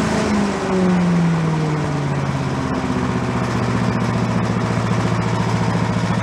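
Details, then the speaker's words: Yard-sale commercial walk-behind leaf blower, small two-stroke, bought not running with suspected carburetor problems, now run on the ground to check smoke: settles from a rev into a steady, even buzz with regular pulse, no misses; normal running. "let's go let her down on the ground and we'll run it for a while see how it does as far as smoke is concerned"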